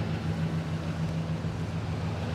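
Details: 2001 Ford F150 Stepside with Triton V8 at auction: a steady, even low rumble at idle with no knocks, misses or ticks; it sounds good, running smooth and healthy.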